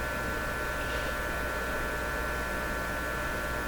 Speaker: I'm gonna give this a that P percent chance of being the fix 50% that same buzzy hum I was talking about actually given odds on it making it worse